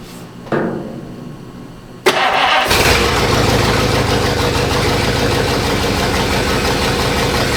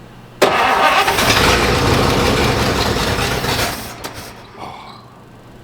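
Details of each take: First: 1953 Oldsmobile 98 Holiday hardtop, first run on its own fuel supply after carburetor accelerator pump priming and choke closed: a short crank, then it catches with a bang and settles into a steady, even idle with a firm low rumble. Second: 1953 Oldsmobile 98 Holiday hardtop on its own fuel supply, accelerator pump primed, choke being set: starter grinds about three seconds at steady churn without catching, then stops; cranking no start, cause not confirmed.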